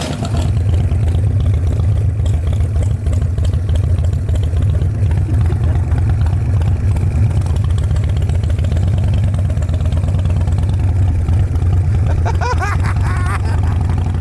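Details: Long-parked display V-twin bike (Paul Sr's) just revived, ridden around the parking lot on a low rear tire: deep, even rumble holding steady at light throttle, no misses or knocks; engine runs clean.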